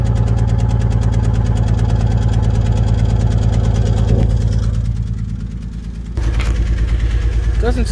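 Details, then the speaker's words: Idle with a lumpy, stumbling beat, about three uneven pulses a second, from a misfiring cylinder on a high-mileage vehicle that is not smoking much; the misfire still needs fixing. "seem like she's smoking too bad but you can definitely hear that misfire there's mileage there I need to fix that"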